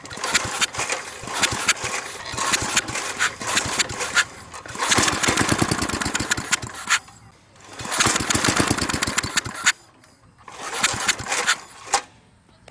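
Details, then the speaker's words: Briggs and Stratton industrial small engine with carburetor reinstalled, propped on a tiller, catches in short ragged bursts on starter fluid then dies each time; fires but won't keep running despite fuel pump priming and carburetor check. "so so so i've tried everything spraying starter fluid in there it of course it runs for a second but then cuts off"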